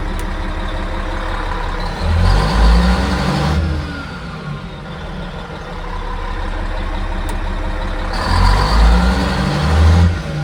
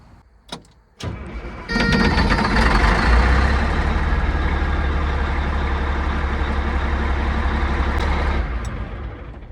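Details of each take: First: Cat 3406E diesel in a D400E Series II haul truck after rebuild and engine ECM swap: heavy low decel bursts but thin braking bark; Jake brake works only on the middle housing (two cylinders), front and rear housings still not working. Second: Cat 3406E diesel in a D400E Series II haul truck after rebuild, started right after fitting a replacement ECM with zero active codes: cranks briefly, fires within a second, steady even idle with no misses or knocks.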